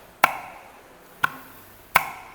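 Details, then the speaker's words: Citroen C4 Lounge AL4 automatic gearbox with the rear cover off, during a clutch piston application test using regulated compressed air. Three sharp clunks with no hissing; the clutch piston applies cleanly and holds with no air leak. "vazamento sem vazamento tá vendo tá aí ó conseguem ouvir ó é isso aí Agora sim a gente pode montar no carro sem dor de cabeça que vai vedar"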